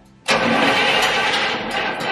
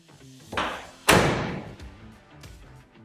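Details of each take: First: 1967 Cadillac Coupe DeVille V8 with Quadrajet carb: the starter spins it briskly with uneven puffs but it never catches; plug wires put back on wrong, crossed out of firing order, so no proper spark. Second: 1967 Cadillac Coupe DeVille big-block V8 with Quadrajet carb, after correcting misrouted spark plug wires to the proper cylinder numbering: cranks, fires, revs cleanly and settles to an even idle with no misfire; normal running.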